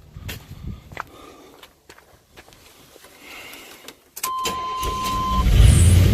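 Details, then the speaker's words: 1988 GMC Suburban after ignition coil replacement: a few seconds of light clicks, then catches almost at once into a steady, rising run; starts much easier than before. "fired up good [Music] that seemed to fire up way easier than it has in the past"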